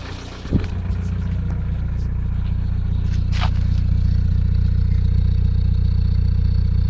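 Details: VW TDI 90hp diesel running: light, regular tick about three per second over steady running, started after a 600 km trip and present 5 months; new lifters, injectors changed, oil pressure OK, various oils tried. Owner suspects piston wrist pin play, unconfirmed.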